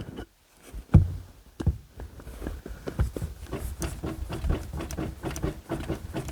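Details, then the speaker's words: Second-gen Ram pickup with the steering wheel turned at rest: dull low knocks in irregular bursts. The front end is worn out and the hubs are shot after only about five days of street driving. "front end is wasted the front end needs to be gone through the hubs are shot"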